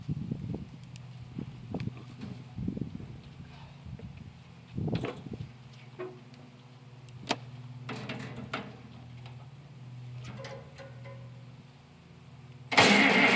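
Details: International 856 farm tractor started cold with the muffler still on, before fitting a straight pipe: slow, uneven cranking turns into a low, steady, muffled idle with no knocks or misses; a healthy engine.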